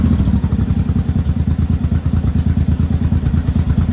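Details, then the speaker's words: 1983 Honda Shadow VT750C V-twin after final assembly, warm with choke turned down: slow, uneven loping chug, idle below about 1000 rpm and close to stalling; idle needs adjusting up. "yeah that's a little low idle's a little low for me I mean you're supposed to idle right around one but I don't want her shutting off sounds like she's going to shut off so I'll have to adjust that"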